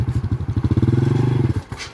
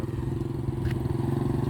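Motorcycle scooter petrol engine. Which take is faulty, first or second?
first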